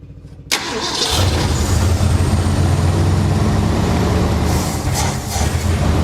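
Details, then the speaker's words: 1966 Mercury Montclair, sat 40 years, brake clean sprayed down the carb throat: a brief crank, then it catches and runs rough and low without settling. Fuel starvation, suspected stuck carburetor needle and seat. "I bet that needle and seat is stuck."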